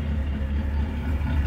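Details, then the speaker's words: Engine with idle air valve recalibrated and TPS sensor replaced now holds and returns to rpm and no longer makes the earlier loud noise, but idles low, rough and lumpy at the tailpipe; internal engine fault suspected, as if timing jumped, unconfirmed; service light on. "se escucha disparejo el motor. Eh, ya no tiene la falla que tenía anteriormente de que hacía mucho, mucho ruido. Ahora se escucha como si estuviera brincada la distribución o algo por el estilo."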